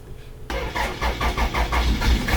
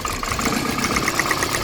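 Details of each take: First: Petrol car, former taxi, cranks in quick pulses then settles into an uneven lumpy idle from a misfire; the whole engine visibly shakes and vibrates in the bay. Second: Spark audibly snapping from a lifted, working ignition coil on an idling petrol engine while hunting a misfire; quick sharp ticking about nine snaps a second, engine note changes, showing the coil is good.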